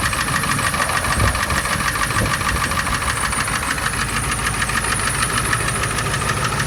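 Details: Ford 7.3 Power Stroke diesel at idle: a sharp, regular knock about three per second, steady with engine speed, isolated to cylinder #4. It persists after swapping injectors 2 and 4 (stage 1.5s, 6,000 miles); friends suspect injector knock.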